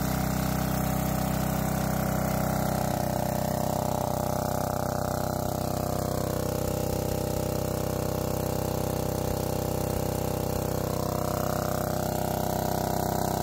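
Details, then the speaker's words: Old barn-find Lombardini 15LD400 single-cylinder diesel generator on a temporary fuel tank, pretty loud: steady clatter about four pulses a second, no misses or knocks; normal running. "I'm going to have to put on headphones or uh ear muffs cuz it's pretty loud and I'll adjust the volume on the video so it doesn't blast you out as well"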